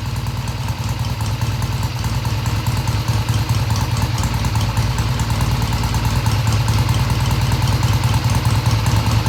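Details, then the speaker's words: 1971 Triumph T120 650cc twin: even idle with a steady low pulse, no hesitation or popping; normal idle. "So they don't have to be exactly even, but you want them to come off idle smoothly with no hesitation. And that's what the bike is doing, and it's revving all the way through mid-range."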